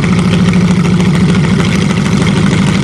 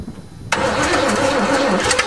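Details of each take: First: Hydrolocked Chevrolet, engine almost seized after 7 months with water in it, cold and given more choke: it keeps running with an uneven, hunting idle and a few revving blips. Cold running on choke. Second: Hydrolocked Chevrolet, one cylinder had water, on choke and then less choke, with some spark plugs still wet: cranking, a sudden catch at half a second, then a ragged, uneven run, barely firing.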